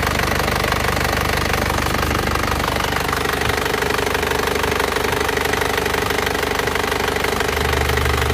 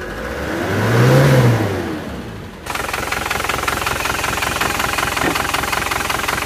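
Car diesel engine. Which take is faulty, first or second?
second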